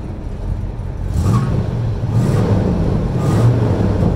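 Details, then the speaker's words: 1971 Chevy C20 barn find stored about 40 years, swapped 350 V8, started after storage: deep, even rumble swelling gently with light throttle, no knocks or misses; runs well, normal running. "sounds pretty good so"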